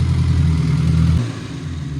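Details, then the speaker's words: Old Austin Mini Cooper that wouldn't start, after adjusting the distributor and throttle: a strong deep rev held briefly, then drops cleanly to a smooth, even idle with no stumble; now running good. "adjusting the gas adjusting a little bit everything and now it's running good"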